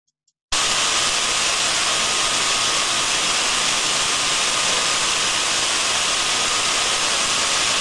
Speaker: smooth and uniform just the saw sound we wanted to hear so we can see the sound recording there that I likes to us that we have a gearbox that is in good working order